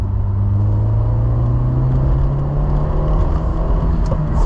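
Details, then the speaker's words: Citroën Saxo VTS, over 20 years old and 200,000 km, on the road and accelerating; a steady engine drone over road rumble that pulls firmly and still feels lively; the car does 130 km/h on the motorway without trouble. "là si on accélère un petit peu c'est une voiture qui a du peps et qui fonctionne encore super bien surtout pour les petits trajets"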